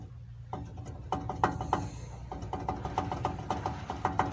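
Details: Renault Logan/Sandero/Lada Largus with a knock in the suspension, wheel removed: turning the hub by hand gives a rough, uneven rattle with sharp metallic clicks and noticeable play. The wheel hub bearing is worn and needs replacing.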